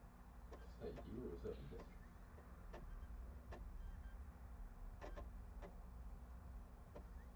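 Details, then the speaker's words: Console disc drive makes a faint whir with scattered sharp clicks a second or so apart over a low hum, refusing to read a PS4 game disc; suspected blown disc drive or laser, not confirmed. "well so this is just a blown disc drive completely then cuz this is I don't think this is going to be a laser issue"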